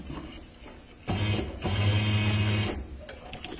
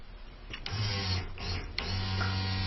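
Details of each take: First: Isuzu Rodeo with newly replaced fuel pump, microphone held near the pump: low electric buzz cuts in and out in bursts of a second or so; intermittent pump operation from an open in the pump feed wiring. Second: Isuzu Rodeo with cranking no-start and a recently replaced fuel pump, fuel pressure gauge installed: after a couple of clicks a steady, even low hum with faint whine; pump primes normally, fault suspected in the pump control signal or wiring.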